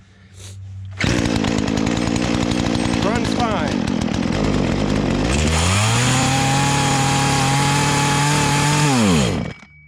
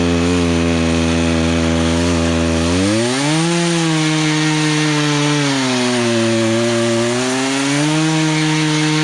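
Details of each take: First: Poulan Pro chainsaw that never ran right: dips, then climbs to a strained, wavering high buzz and drops off at full throttle, fine at idle and mid-range; bogs and wants to stall at high, owner suspects lean. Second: Poulan Pro chainsaw after carburetor adjustment, cutting a log: howls at high revs, dips as it bites into wood and picks back up without stalling; runs properly under load, chain likely needs sharpening.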